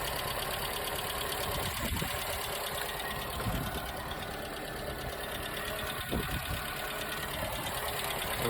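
Even idle beneath a loud hiss, with only a few isolated clicks and no steady knock; the engine settles and runs nicely.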